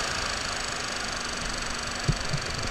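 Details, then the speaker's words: 2009 Ford Focus blower fan, wrong aftermarket blower motor tested at top speed: loud, rough, rushing whir with a coarse edge; it runs but sounds bad, the cage possibly out of balance. "It doesn't sound very good, so it's like the cage is out of balance or something. Yeah, I'm glad it's the wrong blower motor because this one sounds like shit."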